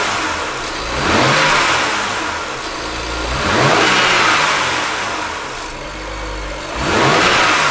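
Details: BMW N54 decelerating, also in gear, when not injecting fuel: light metallic rattle as revs drop, from top of engine on turbo side near a wastegate solenoid (not the solenoid); wastegate rattle.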